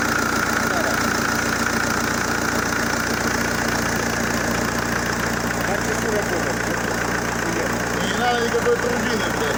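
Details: ZMZ-514 Euro 2 turbodiesel after repair for knocking, head refitted: settles into an even, steady idle with no deep knock; bottom end sounds healthy now.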